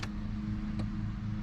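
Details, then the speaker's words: Nissan VG30DETT engine swapped into drift car, first start attempt: key on, engine silent, steady low electric hum with one faint tick as fuel pump primes normally. "I heard the fuel pump"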